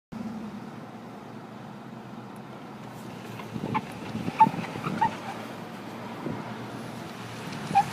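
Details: 2009 Cadillac Escalade SWB Platinum AWD with 22-inch wheels and 37,000 miles, turning sharply at low speed: low hum, then irregular clunks and short squeaky chirps; cause unknown.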